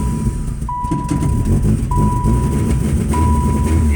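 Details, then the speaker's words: 1999 Saturn SL2 with sudden bad misfire: lumpy, uneven rough idle that dies unless held on the gas; fuel pressure 50 psi, ignition module, plugs replaced; codes include P0404/P1404. "see I got to be on the gas just keep it running that's got a really really rough idle to where it won't even I had a lot song Steve I let off the gas at all or it would die"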